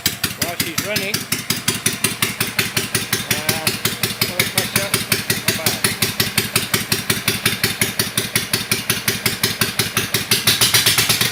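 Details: Kawasaki FD620D V-twin in an Argocat after partial engine rebuild (oil pressure light wasn't going out), very cold day, started without choke; about 65 psi oil pressure, not too bad. Crisp, even firing pulses at steady idle, no knocks or rattles: normal running.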